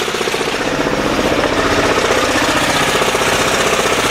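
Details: 10hp LaunTop Yanmar-clone diesel running less than a minute after a cold start at about -4C. Fast, slightly rough, clattery chug at about four beats a second. Normal cold warm-up.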